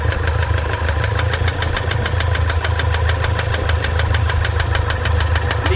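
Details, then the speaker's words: Toyota SW4 3.0 diesel, 2015, with problems after a service: sharp steady rattly knock about 200 per minute over the idle; stops when the injector is disconnected, returns when reconnected, confirming a stuck injector. "então vocês viram quando liga o bico para o barulho continua é desliga o bico para o barulho liga El ele faz o barulho então que temos bico aqui"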